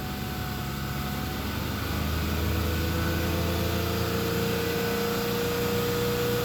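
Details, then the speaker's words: Honda Accord V6 revved high in neutral: steady hum with a thin whine climbing in pitch, also heard faintly while driving since shortly after purchase, with slight gas pedal vibration; cause unknown. "i have like a whining noise a little faint wine when it i'm driving and i've been hearing it since like a couple days after i bought it but i've kind of noticed if i rev it really high in neutral i hear it too"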